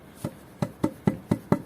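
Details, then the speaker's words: Small garden extension's concrete foundation (about 3 m by 6.5 m), left to cure two days, tapped with a piece of wood: crisp, dull knocks that die quickly with no hollow ring, so the foundation is solid. "you can tell now that the foundations are solid you can hear that when tapping it with a piece of wood"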